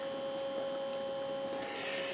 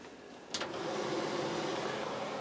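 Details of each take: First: RV range hood exhaust fan running while cooking: even hum with steady mid tone and hissy rush, sounds wrong after restart; fan blade fell off/loose on its shaft. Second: RV range hood exhaust fan, after fixing a funny noise it made while running: click at switch-on, then steady even whoosh of air with no rattle or scraping; fan now runs smoothly.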